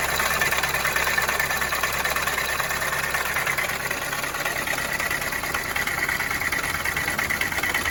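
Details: 2019 Winnebago View on a Mercedes-Benz Sprinter chassis while driving: hard, steady rapping about three times a second that sounds like a rod knock, caused by the failed AC compressor.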